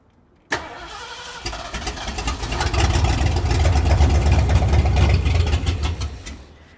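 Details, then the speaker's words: 1973 Mercury Cougar 351 Cleveland V8, unrebuilt carburetor, first start attempt: cranks, catches to a ragged run for seconds then stalls; seems to get fuel, owner suspects fuel pump may be bad. "squirter it sounds like it's getting fuel it's and I have no idea if this fuel pump's any good either so the fuel pump could be shot"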